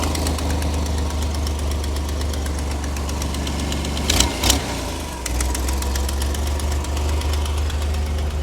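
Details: Vintage flat fender Jeep with Sniper 2 EFI and a new in-tank fuel pump tank, started without priming first: even, low idle rumble with a couple of brief clunks midway, otherwise steady and smooth; normal idle.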